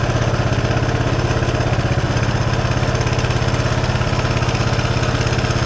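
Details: 1983 Honda Big Red single-cylinder, just after carburetor rebuild (stopped running after sitting 7 months, old ethanol gas suspected), run from a temporary bottle fuel tank, pull-started; quick even putter at steady idle, no stumbles: healthy.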